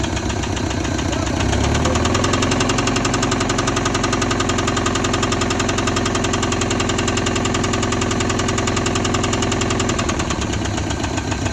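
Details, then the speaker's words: Honda Civic engine running with a deep, hard knock about three to four times a second, keeping time with the crank. The owner plans to drop the oil pan to find and replace the bad rod bearing. Rod knock. "all right so i got a rod knocking uh that's not good"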